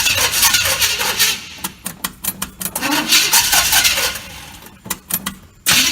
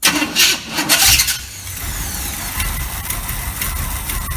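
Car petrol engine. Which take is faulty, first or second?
first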